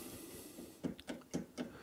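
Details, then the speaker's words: 1967 Fender Bassman amplifier: four sharp crackles about a quarter second apart over quiet hiss when pressing a carbon composition resistor, typical of moisture inside it; fix is replacing the resistor. "c'est typique parce qu'il y a de l'humidité qui vient se mettre à l'intérieur de la euh comment de de la résistance et on entend des petits craquements alors ça c'est typique des résistances carbone aggloméré"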